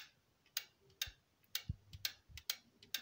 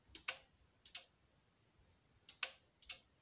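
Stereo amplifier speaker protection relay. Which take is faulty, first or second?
second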